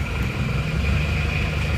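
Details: Isuzu Panther diesel after engine overhaul, hard starting because glow plugs weren't working, temporarily wired direct: catches straight away into steady even idle, smooth low rumble, no misses.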